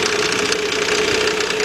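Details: 2004 Nissan Quest 3.5 V6 at idle after bank 1 camshaft position sensor replacement (code P0340), codes cleared; faint rapid ticking over a busy idle with a steady mid-pitched whine, customer-reported noise. Engine knocking of unknown origin.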